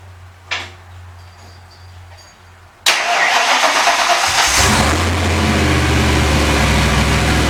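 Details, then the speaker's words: Turbocharged Foxbody Mustang (On3 turbo kit, new ECU, AEM wideband) at first start after months of work: starter whir, then it fires and settles into a loud, even open-exhaust idle with a steady beat and no misfire. Base timing being set to 15°. Normal idle. "it just it's fired right up yeah that's awesome it's actually it's actually running pretty good I'm surprised the aisle is as good as it is now"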